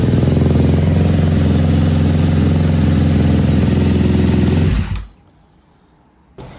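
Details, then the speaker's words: KTM 250 SX-F, first start attempt on choke after electrics work; crisp, even single-cylinder beat holding a steady idle several seconds before a clean shutdown, running healthy. "All right, I don't want to risk anything, but that sounded really good. You never get tired of trying to run these engines for the first time. But that sounded good. That sounded really good."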